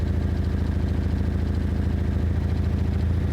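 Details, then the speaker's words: 1975 Toyota Corolla KE35 at a low, lumpy idle, just started after a starter clicking problem; a steady puffing chuff rides on the exhaust note, the exhaust blowing from a leak. "You can hear though the blow that I'm talking about. You see you hear the blow the exhaust blowing."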